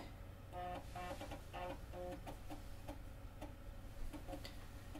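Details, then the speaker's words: Macintosh SE/30, stock 16 MHz, after replacement with a Seasonic power supply, booting a system disk from floppy: quiet short buzzing head steps and soft ticks in a steady rhythm, normal floppy drive operation. "I can drop in a floppy here that are actual floppy so that we can see that the floppy drive works and there the system disk came up"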